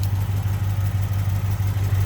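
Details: 1971 Chevy C10, tired 307 small-block V8 with 4-speed, due for an engine swap, at startup: low, lumpy idle with an uneven loping beat and dropped pulses. Worn, misfiring engine.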